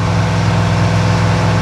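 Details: V8 engine pulled from the truck Creampuff, idling on a test stand. Temperature is holding good and oil pressure is about 52 psi. Deep, steady burble with an even beat and no knocks or ticks; healthy.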